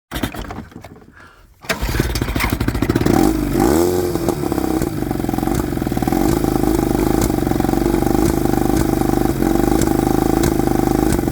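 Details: 1995 Johnson 20 hp two-stroke outboard starts, then runs with an uneven, stumbling beat: engine misfire.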